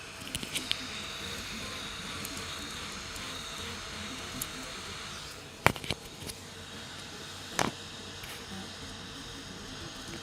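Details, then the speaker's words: Rat Rig V-Core 3 3D printer running Klipper/RatOS and printing at 125% speed: sharp, isolated clicks each time the motion changes direction. The owner suspects dead bearings in the idlers, probably all of them. "there's a clicking every time we change direction i think it's um bearings in the idler"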